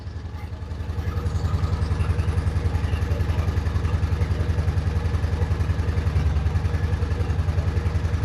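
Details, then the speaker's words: Honda Shadow Spirit VT750 V-twin with new Chinese carburetors, idle raised after being set too low; steady even lumpy beat, healthy with choke off, though carb later found leaking fuel: normal idle. "So, I adjusted the idle and now it's running. That's a good sign. It sounds healthy. I turn the choke off and it still sounds healthy."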